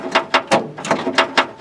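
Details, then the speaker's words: Gator cold start attempt with a flat battery (owner notes it had been rewired): quick dry clicks, about four a second, with no cranking at all as the starter solenoid chatters. "Oh, battery's flat."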